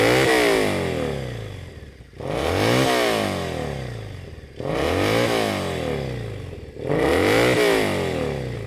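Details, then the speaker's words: Triumph Bonneville SE 865 with D&D silencers, after air injection removal: three clean rev blips about every 2.5 seconds, smooth rise and fall, no crackle or bang on the overrun; previously popped and banged on deceleration, now clean. "Especially when you compare it to the last time I was doing a wee test run like this. It was just popping and banging all the time, which I hated. It's running great now."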